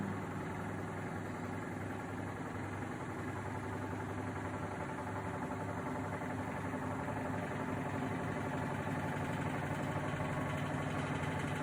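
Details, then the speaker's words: Samsung WW80TA046AX/EU 8 kg washing machine on spin with a 7-item load: even rumbling drone with rough rubbing undertone, wobbling, squeaking and metal scraping across the drum; drum not banging the door at this load. "So it made all the wobbling noises, it made all the squeaking noises, it made like the metal running across the drum as it goes."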